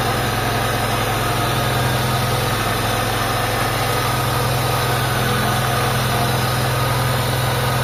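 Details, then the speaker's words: Mitsubishi Lancer GLXi at idle, timing belt side of engine bay: steady rough, gritty grinding undertone not following engine pulses; worn AC compressor pulley bearing. "So habang umaandar to mga bossing ah merong grinding sound mga boss doun sa side nung timing belt niya."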